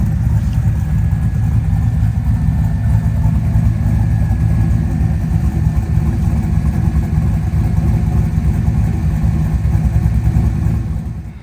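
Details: LS-swapped one-ton Jeep with an electric power-steering cooling fan, start-up: deep, steady V8 burble holding an even idle, no knocks or misses; normal idle.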